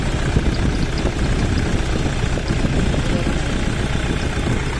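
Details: Toyota Innova D4D diesel after replacing the dog-chewed injector driver module and ECU, previously cranking without starting, revved without gear: holds a steady even clatter at idle with no misses, hunting or knocks; idling normally.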